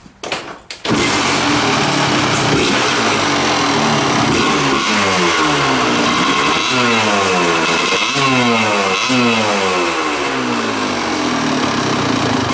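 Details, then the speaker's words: Kawasaki KDX200 two-stroke dirt bike after switching pilot jet from 48 to leaner 42: crisp blips rise and fall cleanly, no stumble or spitting, no gas and oil out the tailpipe; engine finally running right. "so I think that I can say with reasonable confidence that this engine is finally running right it doesn't spray gas and oil out of the tailpipe it idles and it just sounds like it's going to rip"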